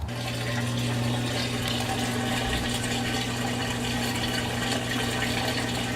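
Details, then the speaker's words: Washing machine drain outlet after clearing a sinkhole packed with roots, weeds, dirt and sand that caused leaking: steady rush of water through the drain with faint low hum, no gurgling or backing up; drain flowing freely, no longer overflowing. "I can hear it, but it's not overflowing anymore. Let's go see what's happening outside. Oh yeah. She's flowing now, baby."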